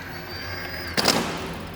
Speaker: Sometimes you'll get a partial clutch failure where part of the clutch engages but a different part of the rotation it may slip, usually resulting in a sudden re-engagement or slip.